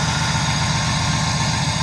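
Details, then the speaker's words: 1993–1997 Pontiac Firebird/Camaro with old gas after crank-no-start from a bad MSD ignition box, now running with the box bypassed from the ignition coil: steady, even idle, smooth low rumble, no misses; normal idle. "So all I did was unplugged it from the ignition coil. I bypassed it, and we are up and running."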